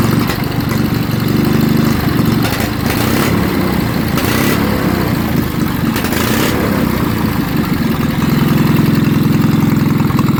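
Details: Wisconsin TFD engine, carburetor sat over 25 years and cleaned without new parts, air covers off: catches and holds a loud, throbbing idle with a few surges, running on its own.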